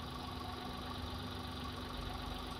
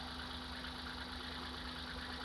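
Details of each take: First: Hyundai Eon petrol engine idling low and uneven with more vibration when one spark plug cap is pulled (cylinder drop test), one sharp click; idle returns to normal when refitted. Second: Hyundai Eon at idle after a misfire diagnosis and securing the ignition caps: low, even idle hum with a steady tone, less vibration and quieter than before; normal idle.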